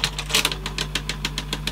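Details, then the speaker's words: 1980s Teac CX210 cassette deck before belt replacement: quick even ticking about seven a second over low motor hum, only with a tape loaded; knock possibly from the tape itself, cause not confirmed. "oh something's making a noise didn't do that without a taping they did it"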